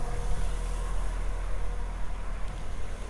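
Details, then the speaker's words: 2006 Nissan X-Trail T30 2.2 dCi diesel, cold start: after a long crank it holds a rough, lumpy high idle up to 1,500 rpm with smoke; cause suspected, not confirmed. "you see it eventually starts needles actually keep doing a bit when you start if it cooled it's up to 1,500 rpm so you can see it's rough"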